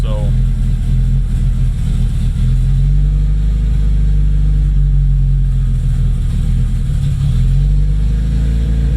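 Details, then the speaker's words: Freshly rebuilt Nissan KA24DET at first start, low idle wandering up and down; owner says vacuum leak from untightened lines to the blow-off valve causing jumpy rpm; running with oil pressure, no obvious leaks. "i should probably tighten that because i'm not digging the jumpy rpms right now but it's running"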